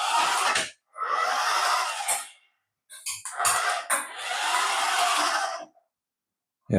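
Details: Paladone RC VW Campervan toy after a gearbox fix with a spacer added to hold the gear in place, motor wires still reversed; short bursts of high whirring, running freely without skipping or clicking; drive working normally.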